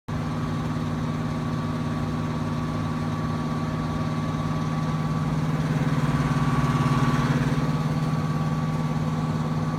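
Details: Trane XB heating unit, under a year old, just after cleaning the air filter following a summer of construction dust: steady loud motor drone with a thin high tone on top, swelling briefly mid-run when heat is on; cause unclear.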